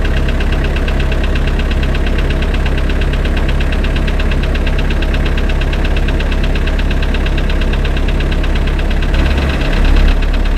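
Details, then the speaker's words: Spryte snowcat "Rusty" turbodiesel just after fitting new OEM Zexel fuel injectors and priming: steady, even diesel clatter with smooth low thump, no misses; idles noticeably smoother, rock-solid idle after coming off acceleration. "Thing I notice is that he idles a lot smoother. When you come off of acceleration, he just idles nice and smooth. Rock solid. idle."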